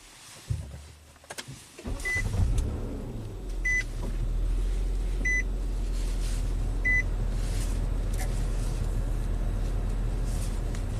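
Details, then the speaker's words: 2010 Nissan Maxima at idle after P0171/P0174 system-lean repair, with trouble codes cleared: steady, even idle with a smooth low rumble, no stumble or hiss, plus a few chime beeps; running smoother as expected. "definitely running smoother as expected"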